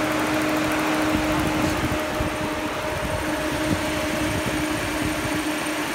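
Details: Peugeot 308 with overheating and no ECM fan control, sensor unplugged to force default mode; radiator fan running flat out with steady loud roar and even whirring tone over engine idle, confirming fault lies in fan control.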